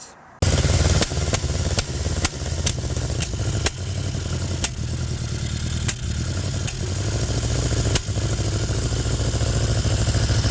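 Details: 1974 MG Midget on test drive after carburetor synchronization: uneven running with irregular sharp pops about every second over a stumbling note; cracked manifold leaking between intake and exhaust.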